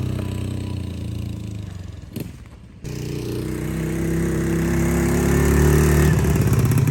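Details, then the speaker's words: Cheap Amazon quad, small single with bigger carburetor, cold air intake and stock exhaust, ridden by a 200-pound rider; revving hard, pulsing climbs with throttle, briefly drops out then pulls strongly; normal running under load. "it sounds pretty sick and it's still the stock exhaust the only thing different is the carburetor is better bigger and it's got a cold air intake"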